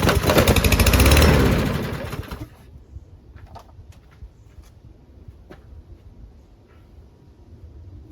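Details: Newer Toro lawn mower that would not start, water in fuel and gunked carburetor cleaned, fresh oil: small single-cylinder runs with steady even putter, no sputter or surging, then shuts down.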